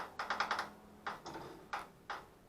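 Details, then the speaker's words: Cheap Chinese Tao Tao kids' four-wheeler: quick bursts of light clicks and a few single knocks, but the engine never turns over. It made weird starter sounds the day before; the owner suspects the starter and plans a test-light check of the starter wire. "Because it was making some weird sounds yesterday, but now it's not doing anything."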